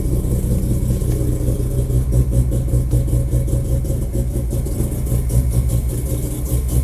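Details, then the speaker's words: Mazda RX-7 FD rotary, first start after six months down, ignition wiring replaced with new AEM IGN1A smart coils and harness: fired right up, smooth steady low burble at fast warm-up idle, no misfires; normal warm-up idle. "yeah listen to that fired right up okay check everything"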